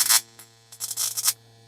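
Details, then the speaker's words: Original Simson/MZ ignition coil on Bosch spark-gap tester at gap setting 11: sharp buzzing spark bursts over mains hum with dropouts, spark weakening; at 12 barely fires with misses. "Jetzt sind wir bei 11, jetzt hört sie schon auf. Da wird schon schlechter hier."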